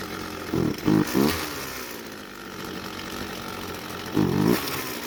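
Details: Red string trimmer, warm, after the old fuel was replaced with fresh: short throttle blips fall back to a weak, uneven idle that barely holds; the low-speed carburetor mixture is too rich.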